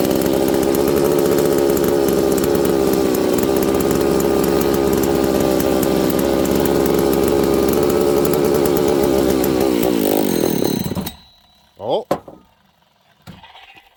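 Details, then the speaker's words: Husqvarna 268 chainsaw running lean, brake cleaner sprayed at crank seals under oil pump: steady high buzz suddenly chokes and dies, confirming air leak at crankshaft seal. "there you go there's our problem friends we have a leak on the Craig seal side"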